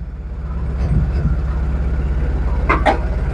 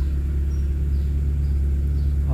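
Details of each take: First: Proton Wira engine that stumbles when warm after about 5 minutes or at speed; uneven idle, about three throbs a second with irregular stumble, misfire traced to a faulty ignition coil sparking externally. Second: Proton Wira after fixing hot-engine stumbling (semput), plug wires reinstalled: low, even rumble, steady rpm needle, no vibration; normal idle.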